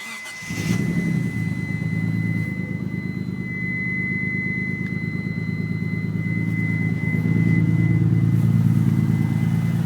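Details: Mitsubishi 3000GT VR4 V6 catches and settles into a lumpy idle, exhaust beat stumbling about three times a second; engine misfire at idle, owner unsure if a valve problem or just a bad misfire.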